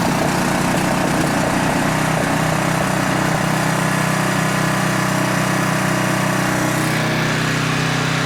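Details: Older Tecumseh 10 hp engine on a 4,000 W generator with adjustable carburetor jet, carrying a 1500 W load at about 62.4 Hz; steady, even drone that doesn't dip or hunt. Normal running under load.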